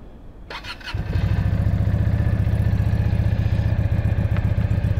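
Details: Keeway V Cruise 125 (Benda), new and in its first week of break-in: brief starter whirr, then the twin catches at once on a cold start and settles into an even, low putter; healthy cold start and idle.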